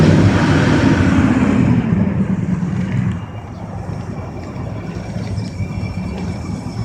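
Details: Old Ford truck in Los Lunas, New Mexico, starting hard: a heavy, uneven low rumble for about three seconds that then drops to a faint murmur; a long, struggling start, cause unknown.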